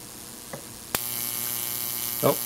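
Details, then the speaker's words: Neon sign transformer output leads in a bundle singing with corona discharge at about 4–6.1 kV: a sharp crack, then a steady thin hissing buzz with high fizz, before the main gap breaks down. "I can hear this bundle singing I'm just going to move the camera in a little closer again"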